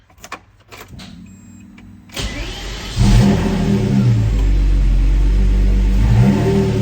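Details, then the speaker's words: Lamborghini Murcielago V12 in home garage, being troubleshot: starter whirs, engine catches and holds low, lumpy idle lacking usual smoothness, running on only one cylinder bank; cause not yet confirmed. "one bank running on one bank here we go"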